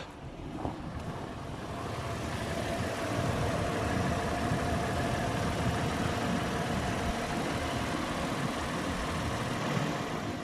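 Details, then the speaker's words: 2010 Toyota 4Runner, jump-started because of a weak battery, idling with a steady, even hum and no knocks, ticks or misses; no exhaust leak, normal smoke colour; normal idle. "engine sounds very smooth there are no smoke uh all around and nothing seems to be dropping on the floor so that's good"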